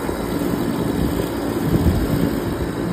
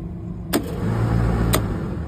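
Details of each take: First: Trane unit in test mode after replacing the RTRM board: low, steady rumble and hum that keeps going without cutting off, contactor staying energised and compressor two running, 26 V now at J3-4. Normal compressor running. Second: Trane rooftop unit in test mode with a faulty RTRM control board giving no output voltage: over a steady hum, one sharp clack then another a second later as the fan contactor pulls in and drops straight out. Board to be replaced.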